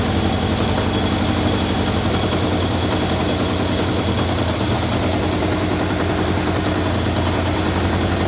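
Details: 1978 Kawasaki KZ650 four-cylinder idling after carburetor synchronization with a Digi Sync tool, readings 61, 62, 63, 60: steady even idle with a smooth unbroken beat, no hunting or stumble. Carbs synchronized and well balanced.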